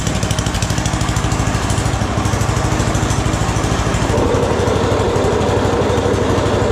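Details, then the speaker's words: Snowblower small engine, rebuilt last year after throwing a rod, carb just tuned, started with full choke and three primer shots: quick, even firing pulses with steady low thump; runs smoothly, normal running. "that thing runs pretty good. Pretty happy with that."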